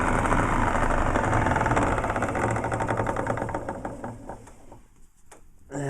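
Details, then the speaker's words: Pallet saw on Babbitt plain bearings running with steady knocking about four beats per second; suspected shaft end play, collar needs tightening. "I think it's n play that's the sound I think right there which means that that collar needs to be brought up tighter that in plate should not be there"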